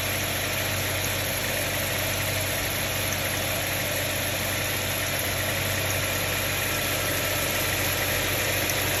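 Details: 2006 Subaru Tribeca H6 flat-six at idle: busy light metallic clatter about two or three beats a second, fast and uneven; owner suspects timing chain noise, unconfirmed.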